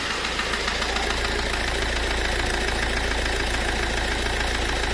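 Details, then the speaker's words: Fiat Ducato van diesel at idle: a steady rough knock about two per second on top of the clatter. On teardown the oil sump was found badly dented. "Mais uma vanzinha aqui, né? Com um barulzinho no motor aí, ó. Vou ligar para vocês verem aí,"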